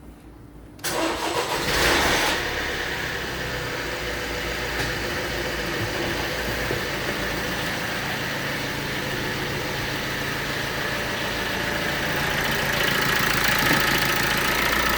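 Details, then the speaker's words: 2016 Vauxhall Astra K 1.6 CDTI diesel, phone placed near engine: cranks and catches, then idles with fast light metallic rattle, about four a second, over diesel clatter; timing chain rattle, common on these engines, some call it normal. "So the noise, you can hear it coming from this part. Many people, mechanics and many people, they said no, this is the normal sound of this engine. It's not normal."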